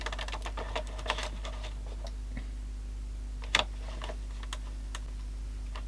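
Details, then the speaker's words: JVC GR-AX200E compact VHS camcorder, error 03 on fast forward: light irregular clicking over low hum, then sharp snap as mechanism stops; owner suspects a reel sensor fault. "yep no image not good I think we're Che again era three again so there probably a real reals not working real sensor fault type thing"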